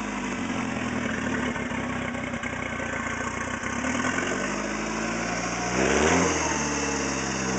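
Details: Talon engine after a spun rod bearing, refitted with other bearings, idling steadily with a brief rev and no deep knock following engine speed; normal idle, no rod knock.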